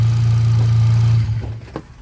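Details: Hyundai Accent gasoline, crank-no-start fixed, charging 14.3 V: low steady idle hum with no misses or knocks for over a second, then drops away; runs smoothly.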